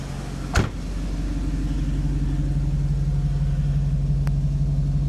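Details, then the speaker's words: 1995 Mercedes R129 SL500 V8, 84,000 miles, just started after a lower engine wiring harness replacement: good oil pressure, no warning lights, steady even low idle with a smooth exhaust note and no knocks; normal idle. "Don't have any warning lights on. Started right up. Sounds great."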